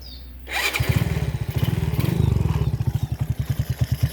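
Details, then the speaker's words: Honda Supra X motorbike single-cylinder engine: quick start, then even, soft putter about nine beats a second with no rattle; smooth, not harsh, healthy idle. "suaranya seperti itulah, Guys. Nah, tidak live-nya pun dia tidak terdengar kan. Halus halus, Guys. Guys, nah suaranya pun enggak terlalu kasar, lembut, ya."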